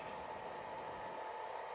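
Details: Secondhand PS4 Pro rebooting into a system software update: a steady loud rushing whoosh with a thin constant tone, like a jet engine; the fan runs flat out because the dust-packed heat sink cannot cool and it overheats.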